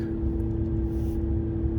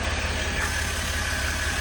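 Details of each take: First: 2016 Ram 1500 3.0 EcoDiesel on test drive after fuel filter housing replacement for P0183, check engine light off; steady drone over low diesel rumble that shouldn't be there, an original symptom; cooling fan running constantly at high speed, cause unconfirmed. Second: 2016 Ram 1500 3.0 EcoDiesel just started after replacing fuel filter housing/water separator for P0183 fuel temperature code, primed first, not leaking; even low diesel rumble at steady idle, no misses or knocks; normal diesel idle.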